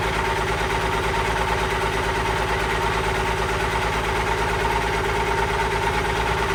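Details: Allis Chalmers 190XT diesel tractor being brought back to life, fired up for a leak and drive test: an even low chug with a steady thin whine, which the owner suspects is the alternator (planning a replacement), possibly the hydraulic pump.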